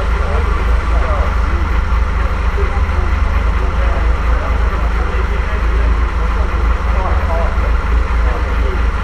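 A steady, even low rumble with no knocks or misses; the freshly rebuilt six runs smoothly and sounds healthy.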